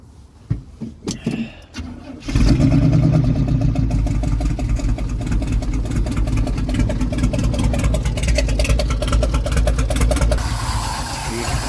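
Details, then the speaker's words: 1974 big block V8 square body C20: catches into lumpy idle with fast light ticking clatter; previous owner was adjusting rockers, loose rocker arms suspected, lifter clatter especially on passenger bank; newer carb stiff, timing likely off. "Valve adjustment. It definitely sounds like the rocker arms are loose."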